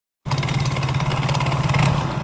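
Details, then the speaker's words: Yamaha Mio GT scooter idling with a rough clattering knock from the CVT. The front pulley bolt is stripped, so the loose front pulley rattles and its fan rubs, shedding metal flakes. It could come off while riding. "Suara klotok-krotok dari CVT Mogiti. Jangan dianggap sepele ya, bisa lepas bulinnya saat kita jalan."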